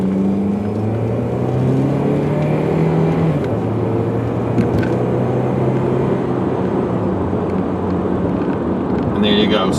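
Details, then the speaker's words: 2006 Saturn Ion 3 sedan with 2.2 L Ecotec, driven under hard acceleration on a test drive: the pitch climbs, drops cleanly at each upshift and climbs again with no flare or slip. Normal acceleration and smooth shifts. "smooth shifts through all the gears"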